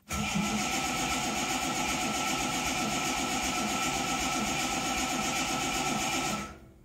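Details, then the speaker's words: Reliant Scimitar SE6A during a fuel-leak check with a little choke: steady, even cranking churn at about four beats a second with no catch or firing. Cranks but won't start. "okay not even trying to fire brilliant another job to do fantastic I can't wait"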